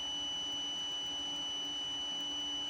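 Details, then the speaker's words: Photocopier optical sensor (ER5000/Advance type) on a digital sensor tester: steady high-pitched buzzer runs unbroken with no cut-out when covered, indicator light dim; faulty sensor, no switching response. "Beda sama yang tadi mati ya. Nah, lampunya redup enggak terang dan ini pun enggak bekerja."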